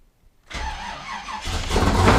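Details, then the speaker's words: Camaro cold start with Sniper EFI, recorded from behind the car: silence, then catches and settles into a loud, rowdy but even idle; starts and runs cleanly. "oh my god this thing is so loud i hope y'all can hear me this thing is so rowdy when you first start it up"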